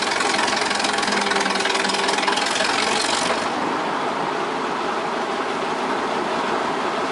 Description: The 1926 Twin City gas engine had a rod knock, which needed to be addressed before it ventilated the block..